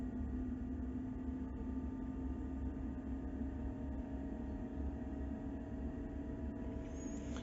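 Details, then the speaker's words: Eberspacher D2 diesel heater in a Land Rover Defender 110, on start-up: fuel pump kicks in, fan winds up to full speed with steady drone and faint rising whine; normal start-up. "as these things start up, the fan comes on at full speed, but once it actually reaches the thermostatically controlled temperature, it slows down considerably and gets quite a lot quieter,"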